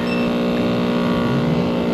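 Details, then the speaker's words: Packaged three-phase AC unit whose compressor had been found overheated with open windings: loud, rough droning hum with a harsh edge and no pumping, pressures roughly equal; the scroll compressor runs in reverse from miswired phases. "okay few gauges uh we got a problem we're not really pumping here"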